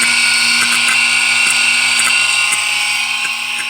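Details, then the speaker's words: 2009 GMC Sierra AC system being evacuated: vacuum pump gives a high steady whir with scattered sharp clicks, like a bug zapper, as it pulls moisture from the system; normal, not a concern. "you'll notice that his compressor is making like click-click cells whenever you know it sounds like like bugs in a bug zapper or something"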